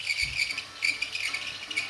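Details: MSI GS65 laptop: thin high-pitched whine with uneven chirping over the fan hum, a faulty fan of unknown cause.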